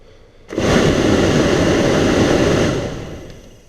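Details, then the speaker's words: VW Jetta heater blower motor, used junkyard replacement tested with key on before install: fan kicks on sharply to steady, even airy whoosh for two seconds then spins down smoothly; blower works normally. "okay so it works that's good now we'll put it back in"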